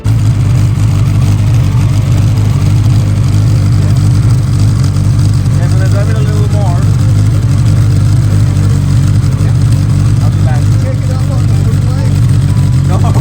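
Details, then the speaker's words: Car after fixing cam timing, fuel delivery and injector placement, driven hard in second gear at 65–70 mph, not taken to redline; deep steady drone, no misses or hesitation, pulls cleanly, driver says never ran like this. "It's got plenty of power. Has it ever run like that? It's never run like this. It's madness."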